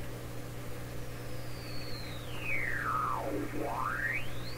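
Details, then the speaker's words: 1928 RCA Victor Model 28V radio being tuned past a signal just below 900: a whistle sweeps down to a low growl and back up over a steady low hum; heterodyne whine suggesting the set oscillates at the tuned frequency. "Generally, when you get the radio tuned right on the signal, you can kind of ignore that. But the fact is, I realize now, what that sound might be telling me is the radio I'm tuning is actually oscillating at the same frequency I'm tryin"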